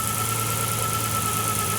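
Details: RB (GT-R) engine in a Datsun 240Z on the dyno during fault-finding of an earlier nasty engine noise; even drone with a thin constant belt whistle from the front, judged not worrying; no knock heard.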